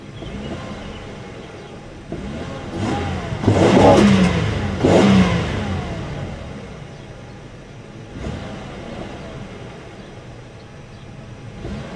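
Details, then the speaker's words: 1995 Chevrolet Monte Carlo LS, revved at idle with the door open: two quick throttle blips climb cleanly and fall back to a steady idle with no knocks, engine shaking the car; revs freely, healthy. "It's not the best made engine, but it revs. It'll get up there. And it definitely shakes the car."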